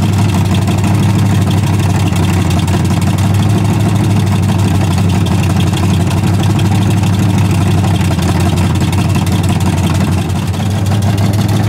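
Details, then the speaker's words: Camaro V8 first run, not yet tuned, with an 850 carburetor that is a bit too big: deep, uneven gurgling burble at idle; a 650 carburetor is to replace it. "this is 850 that'll put on it which is a little bit too big you can hear it kind of gurgling on a tidal"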